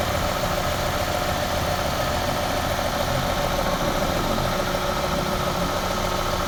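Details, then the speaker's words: Toyota Corolla 2E petrol engine after repair for smoking and oil consumption; even, steady idle with a smooth hum and no misfire or shake; engine runs very smooth, cooling fan now switching on automatically; normal idle. "Pero yung makina niya pinong-pino na, walang palag."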